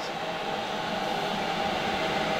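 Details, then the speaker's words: Diesel heater in a skoolie bus, newly installed and fed from a tapped fuel tank via standpipe: steady, even fan rush with faint constant tone, no surging or popping, air blasting out like a hairdryer on steroids; running smoothly. "it's not like just a trickle of air like oh this is like a like a hairdryer on steroids"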